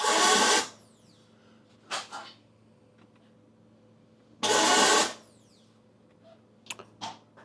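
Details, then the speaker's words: Vauxhall Vivaro no-crank, ignition on, out of gear: two short high-pitched whirs fading into a falling whine with no cranking beat; starter motor spinning without engaging the flywheel, starter judged faulty, possibly not fitted right. "really so it's cranking over now it's doing everything start m is not engaging I know start m is Duff"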